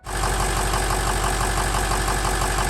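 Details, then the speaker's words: Ford 6.0 Powerstroke diesel just after fuel injector replacement, first start without revving while air bleeds from fuel system: catches quickly, settles into even diesel clatter with steady low rumble; normal idle. "When it does start, do not rev the engine. Allow it to idle on its own as it continues to bleed air from the fuel system into the tank."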